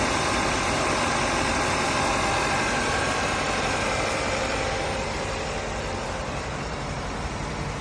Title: Audi A5 engine noise repair Completed Part 6 AE888